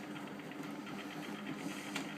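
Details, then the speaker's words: Bendix 7128 washing machine on Non Colourfast Cotton & Linen 40 programme: quiet even motor hum with soft rhythmic churn, no knocks or scraping; good normal wash tumbling. "that's very good wash action"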